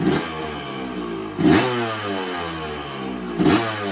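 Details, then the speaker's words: 1986 Yamaha YZ250 two-stroke, started with few kicks: crisp ring-ding idle with three sharp throttle blips rising cleanly and dropping back; healthy, responsive engine. "Sounds absolutely bang on, absolutely gorgeous."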